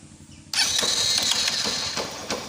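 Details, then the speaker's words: Honda Unicorn 150 motorcycle idling in neutral, recorded close up: dry metallic rattle with loose irregular ticks over the engine that goes away when the clutch lever is pulled and returns when released, clutch basket (bell) rattle at idle. "यहां पर clutch press कर रहा हूं तो यह आवाज हो जाति है गाड़ी की तो मैं आपको थोड़ा सा बड़ा के दिखा देता हूं अभी"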